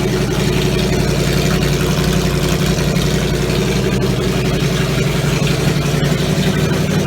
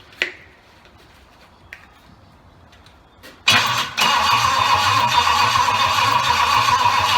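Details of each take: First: Triumph Stag V8 on a test bed after full rebuild, front exhaust pipes fitted and carburettors further tweaked; steady deep V8 idle with an even beat, no misfire or hunting, normal idle. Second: Triumph Stag V8 on its first test after a full rebuild, cranked with a jump pack. The engine spins steadily and quickly but never catches: cranks but won't start. Lack of fuel to the carbs was first suspected; the cause was later found to be a wrong firing order and carb setting.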